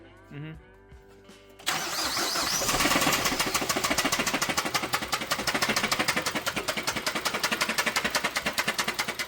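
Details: Rod knock: engine cranks and catches, then a loud, sharp knock repeats three to four times a second; the car reportedly ran fine for its first hour of ownership, then went straight into rod knock.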